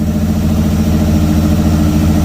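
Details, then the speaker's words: 1994 Pontiac Firebird that sat about four months, after fixing a bad engine noise: even, steady low idle with a smooth beat, no knocks, ticks or misses; healthy, though a leaking valve cover gasket is smoking. "it sounds good it sounds real good I'm gonna hear it Chris and that's about right that sounds a lot better than what it did"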